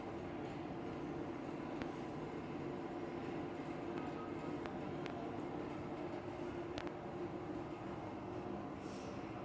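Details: Inline exhaust fan at a diner: steady fan roar with a fast, continuous clattering rattle and occasional sharper ticks.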